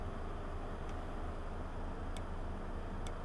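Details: 1.8T VW Passat B5 with an EVAP flow malfunction code: purge valve off the car, bench-pulsed through an adapter, gives three light crisp clicks about a second apart over low background hum; it clicks normally.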